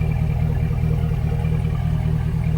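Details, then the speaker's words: 1998 Chevy Suburban started after fuel pump replacement through a cut access panel: starts without trouble into a low, steady, quiet idle hum with no whine or buzz from the pump; normal idle. "all right he's running started up no problem so everything see mine is working out right it's real quiet real quiet"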